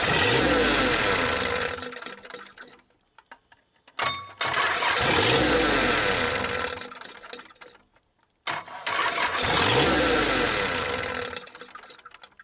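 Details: Perkins 1000 4.2 diesel whose injection timing somehow changed, tried at partial throttle: three long cranking bursts of a few seconds each, churning hard but never catching; cranks without firing, cause suspected timing/injector pump, not confirmed.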